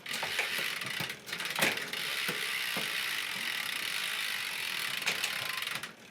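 Steady freewheel buzz with crisp single clicks as the chain steps across the sprockets; the gears change cleanly without skipping or grinding.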